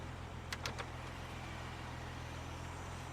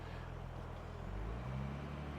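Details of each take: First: 1969 car off the road for decades, fired up after the stuck accelerator linkage was adjusted: a low, smooth, even hum settling into a steady idle with no misses, knocks or ticks. A brake booster air leak is suspected. Normal idle. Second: Car that sat for decades, cold start: petrol idle is low, then climbs higher and steadier whenever the brake is pressed and settles when released; suspected faulty brake booster or vacuum leak, engine slightly rich when cold.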